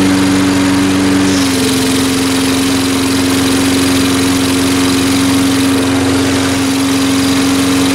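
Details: Salvaged mower running after an ultrasonic carb cleaning, no air cleaner fitted yet: steady, even single-cylinder drone with no misses or surging; normal running.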